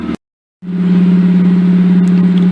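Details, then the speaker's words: Mazda RX-8 rotary warming up at idle after installing new Black Halo Racing coils, MSD wires and plugs: steady, even idle with a low buzzing drone and no popping or misfire heard before. "I've just been letting a warm-up off idle it's getting close but it does sound smoother to me I don't hear the popping"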